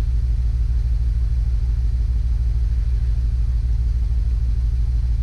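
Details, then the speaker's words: 2008 Jeep Wrangler 6-cylinder at idle with a deep, lumpy misfire on cylinders 2 and 5, codes P0300 and P2305; coil, plugs and wires already replaced; cause found to be a faulty ECM ignition coil 2 driver. "right so here we have cylinder number one two three four five six and we have cylinder number two and number five misfiring the rest is fine"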